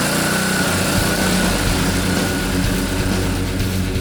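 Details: Honda GCV160 engine on a pressure washer, water flowing, after cleaning the carburetor float bowl and main jet: it starts on the first pull with choke on and runs at a steady, even speed with no surging or misses. Healthy run, with music in the background.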